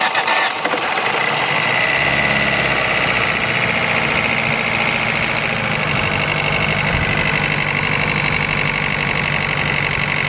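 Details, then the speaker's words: Ford Focus SVT at idle: fast high-pitched chirp from the upper engine area, keeping pace with engine speed as throttle rises; cause unknown after exhaust manifold gasket replacement and pulley, tensioner and exhaust checks. "it comes on at idle speed engine speed every time i uh put a little throttle in it it gets louder well not louder but just the same pace as the engine"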